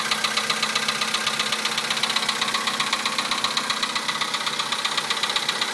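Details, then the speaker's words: 2011 VW Polo sedan, 64,000 km, Liqui Moly Molygen 5W-40, +2°C outside: sharp, regular metallic knock about twice a second at cold idle, cause not identified; new oil only slightly shortened it. "За бортом +2. Такой вот неприятный стук. Уже задолбал."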